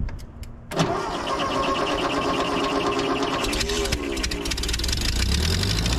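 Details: 80+ year old Ford 9N tractor after fitting a new coil: cranks briefly, catches and settles into a steady, even four-cylinder run; smoky as suspected critter nests burn out of exhaust, exhaust leak at cylinder four.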